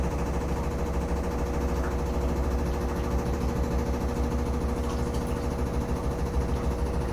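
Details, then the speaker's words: Samsung Flexwash upper washer on the delicates spin: steady fast-spin drone with rough regular thumping about three times a second; the machine shakes and bangs, not against the dryer an inch away. Cause unknown. "You can see the machine is shaking. You can hear it too. Again, I got no clue what that banging sound is because, like, it's not hitting the dryer."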